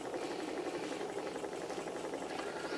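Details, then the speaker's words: Small spirit-fired Stirling engine, hot end well heated: light quick patter at a steady rate, no tinking or knocking, so the displacer isn't hitting the cylinder end; normal running. "um you'll notice this engine's running quietly there's no tinking or knocking noises that's a good sign because it means that the displacer isn't hitting the end of the cylinder and everything's comfortable and happy"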